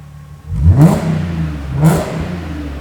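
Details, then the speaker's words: Audi S4 after an X-pipe resonator delete, revved with the clutch down and traction off: two sharp blips give a deep, low, rounded exhaust note with little rasp, settling to a smooth idle; deeper than the earlier high-pitched rasp. "nice detone actually sounds quite nice now it's got a nice deep tone to it"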